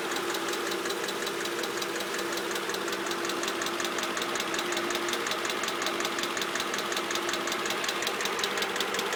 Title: Mercedes clk 500 weird clicking sound